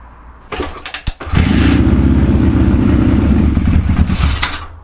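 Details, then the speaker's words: Suzuki GS550 cafe racer, first start after fixing shorting points wire and miswired ignition coils: short crank then lumpy, choppy idle with uneven pulses; carburetors unsynchronized, synchronizer needed next. "Next stage now is to put a carb synchronizer on, so I can get all the carbs running at once. It sounds like shit at the moment."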